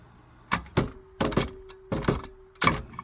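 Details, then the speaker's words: Old community well pump system with the pressure switch adjusted down (builds 57 PSI), 1¼-inch piping: sharp, irregular pipe bangs, often in pairs, over a faint hum; water hammer moving the check valve back and forth, and the valve may not be holding. "Oh see it's hammering you got to hold it it does not like that what is doing that that check valve right there may be holding and it may not be holding the water hammer effect is making the check valve move back and forth back and forth back and forth"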